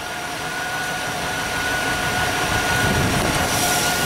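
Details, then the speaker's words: Truck at the farm idling after cleaning a corroded battery terminal/cable with baking soda water: it started much better and the alternator now sounds to be charging; steady even idle, smooth low rumble, faint constant whine, no knocks or misses. "that started a lot better sounds like the alternator is charging now in here pulling okay well that's one problem down"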